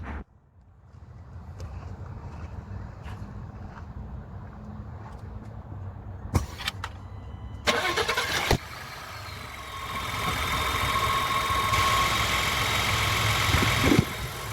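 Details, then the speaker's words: 2020 Ford F-150 2.7 V6 EcoBoost pre-purchase inspection, not a true cold start: cranks and catches quickly, smooth even idle with light fast direct-injection ticking; sounds healthy. "The ticking that you do here is your direct injection. Sounds healthy. It's what we want to hear."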